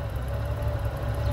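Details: 2005 Honda GL1800 Goldwing ABS, 52,935 km, just after start-up with low fuel: deep, steady idle with a faint even whirr, no knocks or misses; normal idle.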